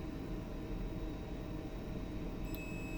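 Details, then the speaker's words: DIY transistor speaker start delay relay for a car amplifier. Background hiss, then a high, even buzzer tone about 2.5 seconds after reconnecting power as the relay closes; the capacitor sets the delay length. "Dia perlukan beberapa saat."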